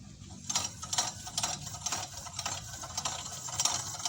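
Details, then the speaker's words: Honda Vario 160 front disc brake with the owner's "srek srek" complaint: light rhythmic scraping hiss as the wheel turns, about two strokes a second; the front pads are worn out and are replaced. "dengan keluhan datang ada suara srek srek srek srek katanya ada suara srek srek srek"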